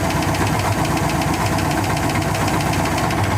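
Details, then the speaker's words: Rare 1957 Dodge Sweptside D100 with factory V8, first start after sitting over 50 years: rough, steady idle with busy, uneven light tapping, suspected lifter or a valve still sticking slightly; ticking at idle. "A little bit of a lifter noise or valve or something. Sounds like on your side. Sounds pretty good though."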